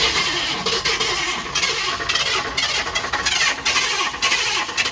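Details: 1960 Ford F-100 barn find with 428 engine, first start attempt after years sitting: starter whirs in uneven surges about five seconds, engine turns roughly without catching; one cylinder full of oil and gas.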